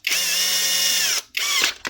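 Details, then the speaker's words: Milwaukee grinder with only a very minor problem; this model is known for weak motor bearings. A clean, steady high-pitched whine with smooth run-down and spin-up and no grinding or rattle. Normal running. "It's a very minor problem, like. Grinder works perfectly otherwise."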